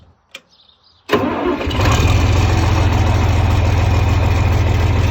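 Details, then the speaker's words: 1961 John Deere 4010 tractor with 7700 combine engine swapped in 2015: quiet, then a brief crank and the diesel catches at once, settling into a steady regular idle; normal cold start. "Pretty nice starting tractor."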